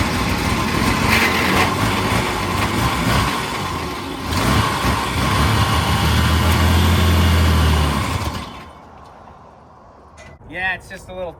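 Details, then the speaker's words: 1940 Dodge VFA32 winch truck, 85 years old, final start of the day with the fuel line still to be fixed and the engine thirsty: steady, even beat with a mild rev for about eight seconds, then it dies; no miss. Smooth running. "But last time, let's listen to her. I think it's smoothed out."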